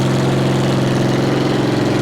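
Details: Multiquip 1.5-ton asphalt roller after its failed fuel pump was replaced with a cheap clicky electric pump: steady, even single-cylinder putter at idle like a little lawnmower, no misses or knocks; normal idle.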